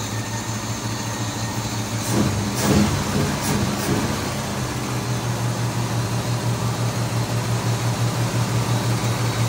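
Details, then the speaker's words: 1964 Ford Fairlane barn find, 30,000 original miles, sat about 13 years, after regapping too-wide breaker points: low, even burble at steady idle with no misses or stumbles; all cylinders firing cleanly. "points were too wide. That's what was causing it. Sounds like it's hitting now. Sounds much better."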